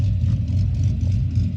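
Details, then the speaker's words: 2009 Pontiac G8, LS2 V8 with big cam, warmed-up idle before tuning with HP Tuners. Deep loping idle rising and falling unevenly several times a second, lumpy chop that shakes the car, from the aggressive camshaft. "oh yeah i hear the chop had to let it warm up right here"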